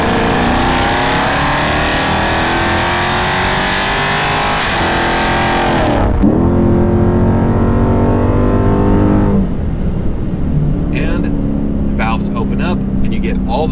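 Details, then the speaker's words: Dodge Charger Scat Pack 392 V8 with about 155,000 miles and a mid-muffler delete, valved exhaust opened under hard throttle: deep roar climbing in pitch, brief dip at the shift, then pulling again; healthy exhaust note. "noise that you want, and it just sounds incredible."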